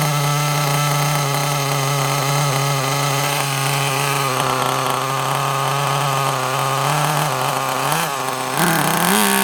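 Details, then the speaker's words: Kyosho Mini Inferno nitro RC car after ticking over a few minutes, low batteries causing throttle delay: high steady buzz holding even, then climbing smoothly as it revs; sounds a lot better, running clean. "That sounds a bit better, doesn't it? Oh, stop though, but that sounded a lot better, that did."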